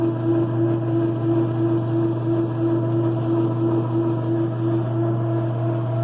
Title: Loud Dryer noise